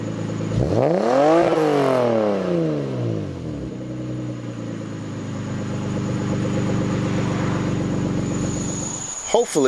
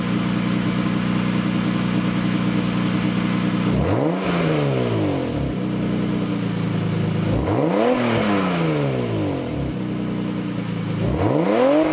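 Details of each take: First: Lexus SC300 after fitting a Toyota Supra TT mid pipe with new gaskets to cure a leaking exhaust: a rev rises and falls, then an even smooth drone without rasp or rattle; louder and cleaner, normal exhaust note. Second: Lexus SC300 before repair, leaking exhaust mid pipe: three revs from idle with a choppy, puffing edge on the engine note; exhaust leak, later fixed with a Toyota Supra TT mid pipe.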